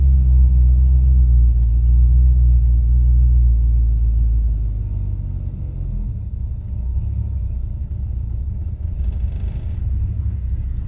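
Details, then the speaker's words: Restored Mercury V8, freshly rebuilt with barely broken-in rings, cold and without a choke. A deep rumble settles from a rev to a lumpy idle pulsing about four times a second; lean-running, it runs rough until warm. Cam or low-compression issues are suspected. "so it's not warmed up so it's not really running that great but yeah it is a it doesn't like to to run um when it's cold without a choke it's a very lean running engine"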